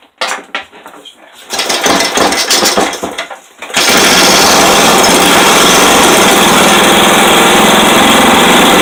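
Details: Rebuilt 5hp Briggs & Stratton flathead single with a good used rod, head, carb and exhaust refitted, throttle zip-tied open, compression about 100 psi, first run: picks up after uneven pulses, then a loud, steady, even drone, no knocks; healthy.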